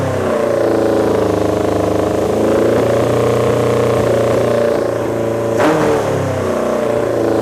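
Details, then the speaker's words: Honda CB750 four-cylinder cafe racer project with new Delkevic 4-into-1 exhaust, carbs partly tuned, accelerator pump cover still to be replaced; ticks over evenly then blips cleanly up and down, peppier with much better throttle response than the earlier poor, backfiring idle. "It's to the point now where it's starting to sound more peppy. Throttle response is a lot better, and I'm getting really excited about the fact that we're going to be able to drive this here soon."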